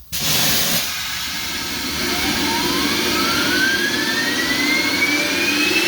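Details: J&LNG 58 steam locomotive with a newly fitted steam turbine generator on top, at about 110 psi of steam. A steady high steam hiss with a clean tone rising smoothly as the turbine spins up: normal running.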